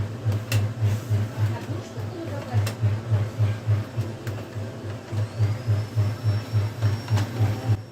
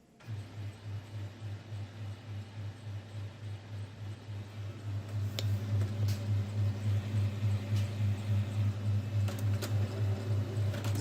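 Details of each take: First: HP LaserJet M426 laser MFP (M402/M426/M428 series) runs very noisily with a heavy, pulsing low rumble about three times a second and occasional sharp crackles, from worn fuser drive gears in the gearbox. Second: HP M426 laser printer (M402/M426/M428 series) after replacing worn fuser drive gears: low, even hum pulsing about three times a second, with the earlier noise, droning and crackle gone; the gearbox now runs normally.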